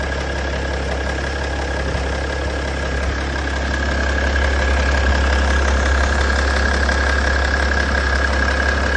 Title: M57 Clatter noise. Is this a chain issue?